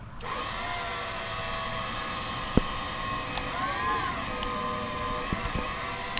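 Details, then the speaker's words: Flood-damaged electric scissor lift (EWP) on 24 V pump, lifts up and down but won't drive forward or back; steady electric pump whine with small pitch dips, pump running without doing work; owner suspects weak pump, maybe steering. "But considering nothing's really going up or it's not going backwards or forwards, you can hear the pump wanting to do things, but it's actually not doing things. So it could be the pump."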